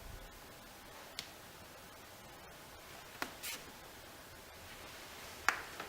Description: Roomba 880 - Reproducing clicking noise while docked.